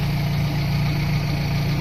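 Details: Carbureted engine idling after vacuum lines were corrected and a reversed choke positioner that had caused high revs was refitted: a steady, even low idle with no misses, hunting or hiss, now a normal idle.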